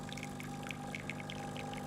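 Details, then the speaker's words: Breville BES920 with a volumetric extraction fault, pressing and holding for full pressure then pre-infusion: soft steady pump drone with water trickling; pump is pre-infusing as it should. "can hear it is actually pre infusing"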